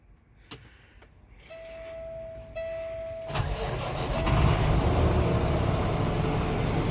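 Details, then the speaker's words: Peterbilt truck with a newly installed Cummins diesel engine, first start after the swap: brief crank, catches cleanly and settles into a steady diesel idle with no misses or knocking; sounds really good, buttery-smooth. "oh my that sounds nice first impressions it sounds really good"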